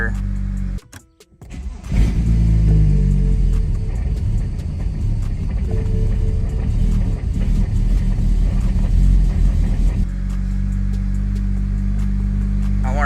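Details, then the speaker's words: BMW 335i (N54) single-turbo on E85, restarted after flashing a remote base-map tune, coolant around 79 just after. A short crank catches cleanly and flares, then settles into a smooth, even idle with no misses; normal start and idle. "that's how she's supposed to start up guys way better"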